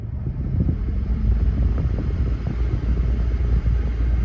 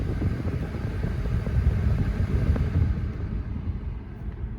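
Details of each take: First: 2002 GMC Yukon, loudest on the passenger side: loud, deep uneven roar from the dash blower fan with no clear tone; blower wheel clogged with rodent debris, cabin air filters apparently never replaced. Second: 2002 GMC Yukon 5.3 L blower motor at max air, after cleaning rodent debris from the fan and fitting new cabin filters: steady low airy rush, no rattle or vibration; previously loud roar fixed.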